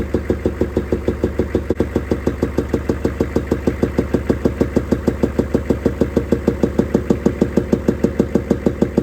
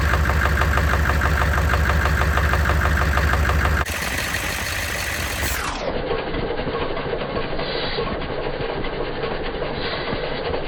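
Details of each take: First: 6.5L Chevy diesel idling with a sharp, very regular knock about three times per second; inspection scope shows a bent pushrod on the second valve from the back, causing valvetrain knock. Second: 6.5L Chevy diesel after replacing a bent pushrod suspected of causing knocking and popping, with batteries recharged: steady, even diesel clatter at idle with no knocking or popping. Normal idle.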